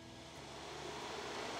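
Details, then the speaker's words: Radiator fan run directly with positive and negative after its relay failed to switch it on: steady airy rush building smoothly as the fan spins up and runs evenly; fan motor works fine, relay faulty. "my fan works. You can hear it kicking on. Fan works just fine."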